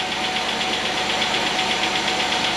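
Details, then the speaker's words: 2008 Chevy Equinox 3400 engine, first start after head gasket replacement: quick even light ticking over steady idle, no check engine lights; valve train a little dry, expected to quiet as oil circulates while warming. "re's no check engine lights she's tapping a little bit but the valve train is a little dry we'll give that allil time circulate through there and hopefully work out any of that noise"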